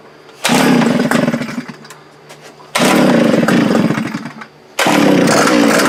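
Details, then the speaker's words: Gas post-hole auger with broken primer bulb replaced, fuel in the bulb: fires in loud bursts that sag and die within seconds, three times; rough running, won't stay running, later traced to carburetor issue. "so as you guys saw it's not starting doesn't seem to want to run there is fuel in the new bowl that we put on"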